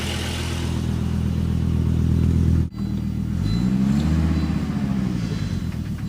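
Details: Volvo S70 petrol engine cold start misfire: uneven, stumbling, loping idle that catches and drops; solved by a full tune-up, exact cause unknown.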